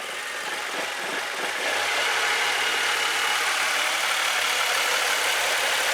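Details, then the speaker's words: 2017 Mitsubishi Mirage 1.2L three-cylinder with P0016, misfire check-engine light and rough running: uneven, lumpy, surging idle; it diesels on at shutdown. Intake cam phaser system suspected (chain, phaser or solenoid), cause not yet confirmed. "now it's just running very uh kind of poorly"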